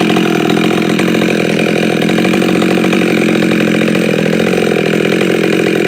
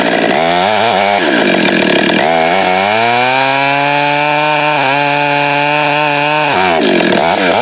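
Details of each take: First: Husqvarna 572 chainsaw with popup piston, no base gasket, muffler mod, 28-inch bar, ~182 psi, still breaking in; steady high-pitched clean note, slightly rich from tuning at about 25 degrees, running normally. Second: Husqvarna 572 build (562 with popup piston, no base gasket, muffler mod, torque-oriented tune, ~182 psi, breaking in) cutting firewood with 28-inch bar, 8-pin sprocket, new safety chain: revs sag hard in cut, climb back slowly; lugging, sprocket too tall.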